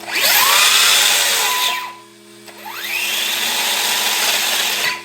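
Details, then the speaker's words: Arrma Granite RC truck with 3S brushless system: two high-pitched whines rising sharply with throttle under an airy hiss; cooling fans very loud, one fan broken, missing blades. "those fans are super loud and in Reverse like it gives me quarter throttle maybe oh my fans broken nice well missing a couple of blades could be better"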